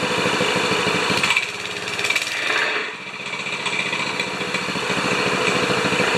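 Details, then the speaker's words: 196cc plate compactor, previously seized, after repair; small engine at high revs with rapid, even pounding from the plate, a brief dip then steady, clutch now releasing; compactor running and working properly. "we've gone from a seized plate compactor to an operational plate compactor"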